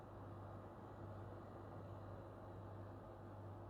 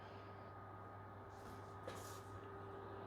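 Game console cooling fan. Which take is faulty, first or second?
second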